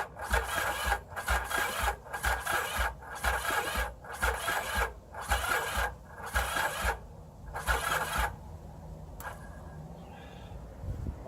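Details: 1981 Yamaha XS850 Special, previously seized engine, cold morning, on a jump box: the starter churns in regular bursts about once a second with even compression, but it never fires. Owner suspects no fuel or a stuck choke; unconfirmed.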